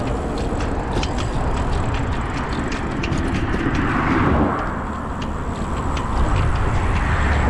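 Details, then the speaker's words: Brompton folding bike, Sturmey-Archer rear hub, rattling again under two weeks after the hub was serviced: light irregular ticks and rattles come and go as the wheel turns under rolling and wind noise; intermittent rear hub rattle. "I rode it for not even 2 weeks. And then yesterday I was riding it home and I started hearing this rattle noise."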